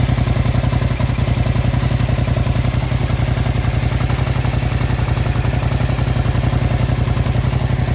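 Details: 2025 Yamaha MT-07 at 9500 km, idling: a fast, fairly even mechanical clatter rides over the firing beat, a noisy top end. The cause is not pinned down.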